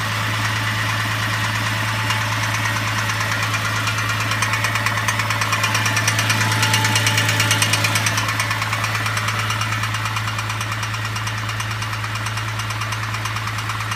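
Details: VZ engine at idle: regular knock about three per second over steady idle; owner guesses timing chain or bottom end, not confirmed.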